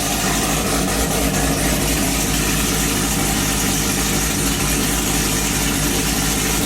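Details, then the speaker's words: Car at idle with headers and a 3-inch straight-through MBRP exhaust; very loud, steady idle with a deep raspy rumble and even firing; loud idle from the exhaust, engine itself fine. "as you can hear the cars extremely loud - its headers 3/8 exhaust straight out the mbrp screen without"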